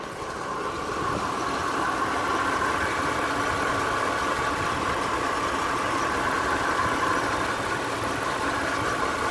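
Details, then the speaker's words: 2007 Ram 1500 5.7L Hemi idling after an AMSOIL engine flush and oil change: even, settled V8 idle with a smooth steady beat and no knocks or ticks; engine sounds healthy. "all right this is what she sounds like after after the engine flush"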